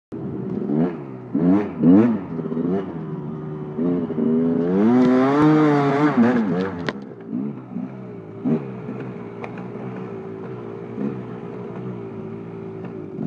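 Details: KTM 250 SX two-stroke revving then settling to an uneven idle with a light irregular clatter over the burble; odd noise only when hot, sometimes heard while riding; owner suspects the power valve, cause unconfirmed.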